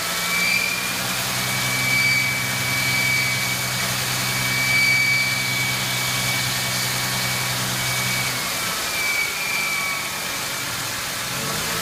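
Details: 1999 Ford Mustang 3.8L V6: thin high squeal comes and goes over steady idle and a light rev, from the engine bay, source not pinned down.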